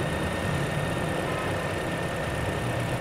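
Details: 2019 GAC GN8, previously cranking but not starting and running badly when hot, battery now fixed: steady, even idle with a smooth low drone and no misses or knocks while warming up.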